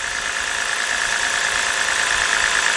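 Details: 2011 BMW 328i 3.0, runs rough with code P0302: idle has a slightly uneven, loping pulse that does not change when the cylinder 2 coil is unplugged, showing cylinder 2 already dead; cylinder 2 misfire.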